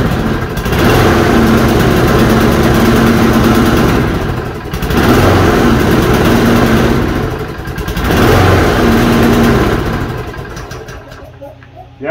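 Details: Toro push mower after reassembly with air filter box reinstalled: small engine surges up and sags back every three to four seconds as the choke keeps opening and shutting; owner suspects heat eventually holds it open.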